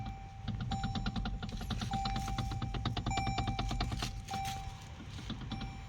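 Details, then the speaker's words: Toyota Alphard AGH30, parked, steering wheel rocked: quick hard metallic clacks, about three a second, at the steering column. Clunks over potholes; cause is a cracked plastic gear at the power steering motor. "แล้วก็ลองเขย่าพวงมาลัยดูนะครับถ้ามันมีเสียงเหล็กกระทบกันนะครับดังแก๊กๆๆนั่นใช่เลยนะครับ"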